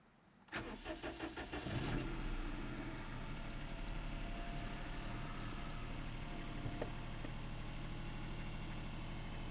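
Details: Daihatsu Cuore L251, cold start: brief crank then steady idle with a faint uneven tick about three a second, diesel-like nailing from the left side of the engine; engine ticking, cause unclear.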